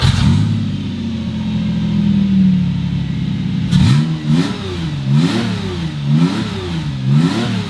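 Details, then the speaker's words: Subaru EZ30R-swapped Porsche 911, after an earlier shutdown fault: the engine starts smoothly, settles to an even idle and takes five crisp, clean throttle blips. The owner concludes the fault is ECU-related, not a loose fuel pump negative ground. "so that smooth startup and rev tells me this has to be ECU related I mean that just started up beautifully it ran beautifully"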